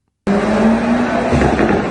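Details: Seat Cupra R 1M track car with full roll cage and stage 2 remap, after the air mass flow sensor was refitted facing the correct direction and the fault code cleared; engine pulls strong with a clean, steady note, no misfire or hesitation.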